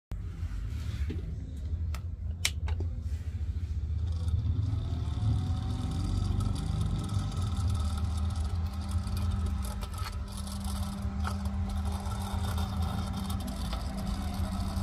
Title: Noisy freezer will drive you insane, compressor fan problem #shorts